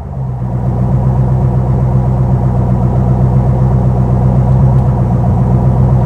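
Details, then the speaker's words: Custom 1956 Studebaker Sky Hawk V8, about 350–360 hp, mild roller cam, new exhaust, after a built transmission swap, revved and idling. Deep, even burble, smooth docile idle with no knocks or rattles. Normal idle. "As you can tell, it's got a mild roller cam in it, so it's a very docile motor. It's very mild."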